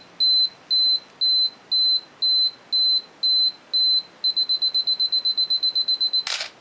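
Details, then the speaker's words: Canon AE-1 Program self-timer test: slow high beeps counting down, then fast beeps and shutter click; works normally. "Oh, I should test the self-timer as well. So now we'll set that up at another speed. And so here we hear it beeping, counting down."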